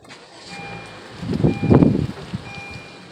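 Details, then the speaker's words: 2015 Honda Accord, push-button warm restart with microphone outside; chime, short crank, engine catches cleanly with no rattle, since the rattle occurs only at cold start, attributed to a faulty VTC actuator under recall; normal warm start. "see it didn't do it now i already know what the uh problem is because i research it"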